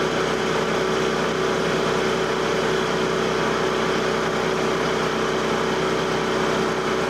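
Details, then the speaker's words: Frontier OS27 sawmill engine, cutting about 24-inch-wide white pine at 7 inches deep with carriage creeping slowly, throttle occasionally raised: steady even drone with saw cutting, revs holding level without bogging under heavy cut. "Occasionally I'll turn the throttle up or the speed up of the carriage, how it moves, just to see and hear the engine."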